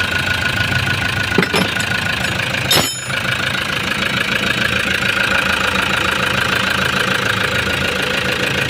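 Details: Toyota HiAce diesel van that arrived not starting after a suction valve replacement elsewhere, now starting and idling steadily with even, normal clatter after its pressure pump was refitted; dash warnings checked afterward.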